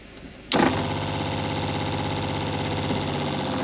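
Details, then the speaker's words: Adria Supreme motorhome Shurflo pressure water pump: buzzes on with a steady whirring hum then stops once pressure builds with tap closed; repeated cycling would indicate a leak; normal operation, no leak. "you heard the pump stop that's because it's pressure pump so what happens unless the tap's opened or you've got a leak you all hear that noise"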